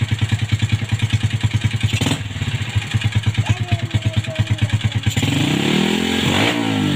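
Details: 2007 Yamaha Vega R idling in an even steady beat then revving cleanly with no stutter or misfire, after cleaning the carburettor passages for a sputtering, sluggish pull.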